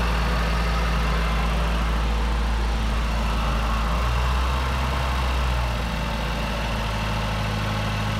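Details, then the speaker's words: 2008 Mazdaspeed 3 after CorkSport high-pressure fuel pump internals install, first start: deep, steady idle with even low pulse, no ticks, misses or hunting; normal smooth idle. "well she sounds good"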